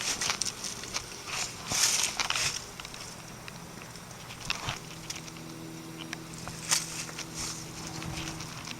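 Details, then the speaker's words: 2004 Carrier 3-ton heat pump in heat mode, just after shutdown with frosted suction line: soft continuous hiss with light crackling as frost melts; normal refrigerant pressures equalizing. "so not really top priority to get another steam show of this carrier you can hear the refrigerant hissing in there"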